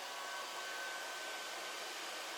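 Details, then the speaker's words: Air Venturi Nomad 2 portable PCP compressor (4500 psi, auto shutoff) on a 110V wall plug: a soft airy hum with a faint thin tone rises sharply as the cooling fan spins up to full speed after power-on; normal fan operation. "step two you're going to turn your power button on and you're you'll hear your fan ramp up and start running at full speed"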